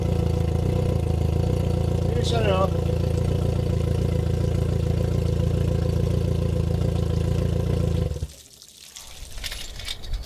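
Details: Outboard with no battery fitted, started in boost mode from a 2000A jump starter: steady low drone with an even beat at idle, no misses or knocks, running healthy until shut off near the end; normal running.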